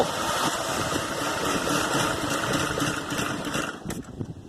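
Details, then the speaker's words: 1981 Dodge Ramcharger, first start in 13 years with starting fluid: catches and runs lumpy and uneven, stumbling before dying away; misfiring, plug wires and plugs suspected, carburetor needs cleaning. "it's also misfiring and so some of the cylinders probably plug wires and plugs and that sort of thing but that's a really good sign all right"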